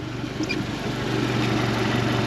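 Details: 2017 Suzuki DF115 four-stroke outboard after full service (plugs, oil, water pump, gear oil, anodes, fuel filters) on water hose: steady even low idle in neutral, no misses or knocks; shifts properly, gear case good.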